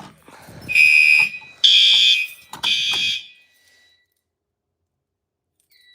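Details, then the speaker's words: A fire alarm panel runs on backup batteries during a battery test, with the emergency light and exit sign on and the charger found to have been left disabled: three shrill alarm tones, each fading and shorter, then silence as the battery fails. "Did it just die? I think it just died. Did the battery? Yeah, that just failed."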